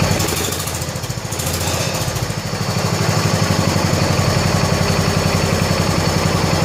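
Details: 1970 John Deere 140 H3 garden tractor single-cylinder after head gasket replacement (old gasket leaked severely): steady even putter, regular firing pulses, no knocks or misses, quiet, burning off some oil; normal idle.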